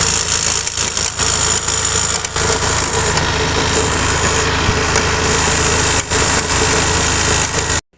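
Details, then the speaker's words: Honda Activa 5G scooter that leaks oil and is noisy when ridden; a loud, harsh grinding rush over the running engine; the axle shows play when moved by hand, pointing to a worn axle bearing. "दोस्तों देखिए यह check कर जो Excel है यह एक cell कितना play मार रहे हैं दोस्तों"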